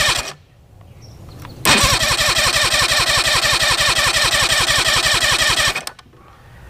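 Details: 1993 Mariner 40 hp 40C two-stroke outboard barking into life with a hard, uneven pulsing beat for about four seconds; dead cylinder despite good spark and timing around 30–35 degrees; reed valves or piston rings suspected, head probably to come off.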